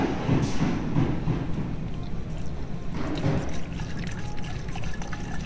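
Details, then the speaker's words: VW cooling system being filled at the reservoir after opening it, hoses pumped to start siphoning: irregular gurgles and liquid glugs as air escapes from the engine while it self-bleeds; normal. "you can hear the gurle you can see so it's gurgling which means air is coming out of the engine"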